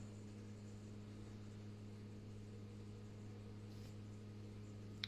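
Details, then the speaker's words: BMW 525d F10 N47 diesel after rocker cover gasket, injector and fuel rail work, scan-tool fuel system bleed at 95% electric pump activation: steady low hum with even buzz, no surging; electric fuel pump running hard. "It saves issues with cracking fuel lines and trying to bleed the system after doing a job like this. You can hear the pump working hard."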